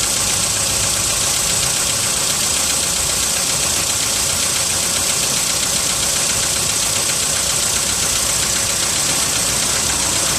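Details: VW Polo sedan, 55,000 km, cold start at +4 °C: cold idle with a sharp, fairly even ticking knock about 150 a minute over the engine; cold-start knock, cause unconfirmed.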